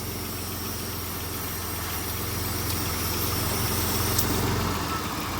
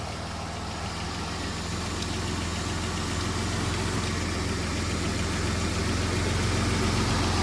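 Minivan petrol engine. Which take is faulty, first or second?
first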